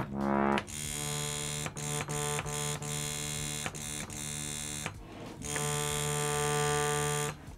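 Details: Bhava harmonium: sustained reed chord with a rough buzzing edge, brief gaps as stops change while troubleshooting which reed buzzes.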